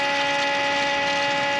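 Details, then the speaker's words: John Deere 9430 tractor that died and won't start: with key off and engine stopped, the low-pressure fuel pump whines steadily and keeps switching on by itself; suspected failed or shorted electronic portion of the low-pressure fuel pump, not confirmed. "so I'm outside the tractor now and as soon as I exited the tractor I could hear this low pressure fuel pump running with the key turned off from there if you can hear that it just came on again on its own"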